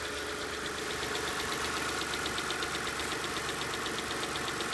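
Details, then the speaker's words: Engine idling with a crisp, light lifter tick about four times a second still tapping right after STP oil treatment was added; the owner reports the tick improved after a few treatments. "so you can hear it's still tapping"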